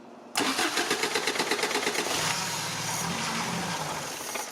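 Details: 1987 Toyota pickup 22R carbureted engine that sporadically won't idle, started by jumping starter to battery: brief crank, then uneven running with throttle blips, won't hold steady idle; carburetor suspected.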